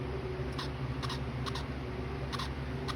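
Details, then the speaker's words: Wii Remote vibrating in the Wii settings menu: short paired buzzy rattles, about five in three seconds, over a low steady hum; faulty rumble motor, fixed by replacing the remote's vibration motor. "when my every time my weed vibrates we remote vibrates it makes this weird noise listen that's the wii settings by the way"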